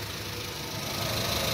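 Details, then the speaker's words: Honda Civic at idle, settled at 900 rpm after throttle body cleaning and scanner relearn/programming: steady, even idle with smooth hiss, no knocks, misses or hunting; engine in good condition. "como pueden escuchar el motor está en buenas condiciones ya limpiamos el cuerpo de aceleración"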